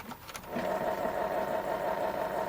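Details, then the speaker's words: Supreme 78 rpm record player under repair: steady mid-pitched whir with a faint buzzy edge while the platter turns. The noise comes from the idler wheel; the motor itself is nearly silent. "Oh, the motor. No, it's the wheel making noise. This motor is pretty silent."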